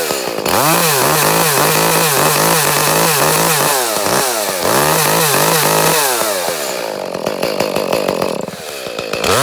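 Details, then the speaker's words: Echo CS-310 chainsaw, six to seven years old, cutting out at top revs for eight months, worse when warmed up and revved unloaded; air and fuel filters already replaced: revs then sags and surges about four times a second; faulty spark plug. "but uh about eight months ago it just started cutting out on top in you know I've gone through it's just out of the blue just started"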